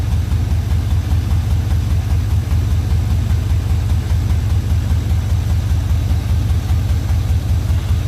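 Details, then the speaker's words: OBS Suburban swap at idle: a steady, even idle with a deep, rough exhaust throb about 2.5 pulses a second; the owner says it is just a poor, leaky exhaust, not engine trouble. "Now I do sound like I got something that's hidden, but the reality is with it, y'all, it's just a shitty exhaust."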